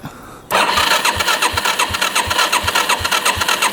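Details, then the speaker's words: 1987 Yamaha SRX 250 single, bought as non-running, tried with and without choke; starter churns the engine over in even pulses, roughly three a second, with no firing, pop or catch at all; cranks but will not start. "Nothing. Try it with the choke. I don't hear it do anything. Not hearing it go pop. I know that. So it's not doing anything at all. We're not getting it pop. We're not getting it to do anything."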